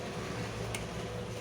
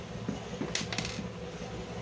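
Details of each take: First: Plastic-body room heat blower after repair of ticking fan noise caused by a spring touching the fan: only a faint even hum, no ticking or rubbing; fan runs quietly, normal running. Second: Heat blower fan: light, irregular tick-tick over a steady low motor hum, from the fan's retaining spring on top touching the housing; spring removed as fix.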